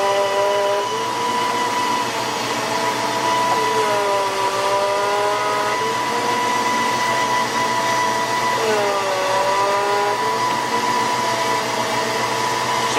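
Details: 1993 Ford Mustang GT foxbody, Coyote swap, hydroboost brakes before bleeding: steady mid-pitched whine over engine dips and wavers when steering is turned; air in hydroboost fluid.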